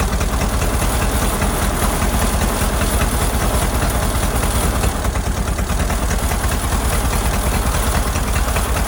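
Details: Ford Model AA doodlebug four-cylinder after a carburetor swap: loud, lumpy, uneven idle; shorting the plugs points to cylinders 3 and 4 not firing properly, and a stuck-open valve is suspected.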